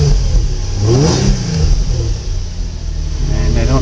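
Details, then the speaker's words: Nissan 350Z with 109,375 miles, serviced on time with oil changes every 3,000–4,000 miles and a new battery: engine catches, revs up and back down cleanly with a deep even exhaust note; normal healthy start, "typical Z". "i don't know if you can hear that sounds like a typical z"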